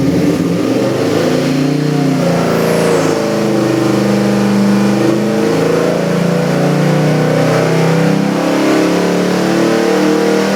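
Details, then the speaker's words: Custom Ford 347 stroker, 302-based, with Holley Sniper EFI, on the dyno for an '88 Toyota pickup: crisp V8 blips rise and fall smoothly through several revs with clean throttle response and no misses or knocks. Healthy engine. "Okay, Ron, we got this gorgeous 347 EFI engine here on the dyno. It's going into your '88 Toyota pickup truck. Gonna fire it up and give you a run demo."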